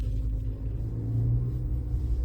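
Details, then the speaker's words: New Lada Vesta NG 1.6 122 hp with a 6-speed manual, driving in second gear; only low engine and road rumble with no gear whine, though a strong engine-mount vibration is noted. Normal manual gearbox, no whine. "слышу только звук мотора. Гула от коробки я не слышу."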